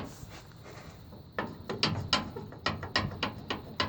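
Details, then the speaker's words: Opel Kadett C16NZ driving on uneven road: loose metallic clunks about three a second heard in cabin, from worn, sagging door hinges with worn mounting seats. "то есть получается создается такой именно конкретно звук при езде то есть когда едешь по неровной дороге то есть я хотел показать приблизительно вот такой вот звук"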